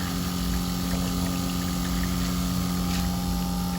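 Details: Seaflo 22 series 5 lpm 100 psi pump in Ford Transit Custom camper, 54-litre tank, open flow with no shower-head restriction: constant steady hum with fixed pitch and water rushing, no stutter or surging; running normally.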